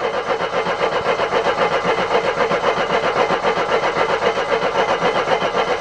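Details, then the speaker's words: Mercedes W123, on a ramp, after fuel line replacement with petrol confirmed: steady starter cranking at about four pulses a second that never catches. Cranks, no start; the owner next checks top dead centre on cylinder 1. "You must be getting petrol at this point. Why aren't you firing? Come on, why are you not firing? I know there's petrol, it just threw petrol over the engine."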